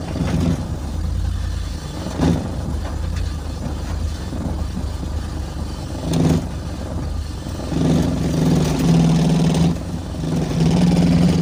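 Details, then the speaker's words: BMW Z3 engine long sat: uneven lumpy running with irregular stumbles and surging low hum, never settles; misfire, owner suspects plug/coil issue, hopes it clears with running. "I'm seeing the plug issue the coil issue yes that is what I'm seeing right now"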